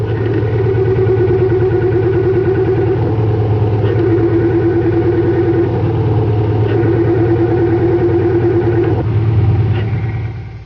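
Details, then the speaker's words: Air-cooled Volkswagen idling, clutch pedal pushed down and let up three times: whirring, chirpy tone each time clutch is pressed, from a worn throwout bearing; fix requires pulling the engine to replace the bearing. "Now we're going to push down and let up the clutch on a car with a worn throwout bearing."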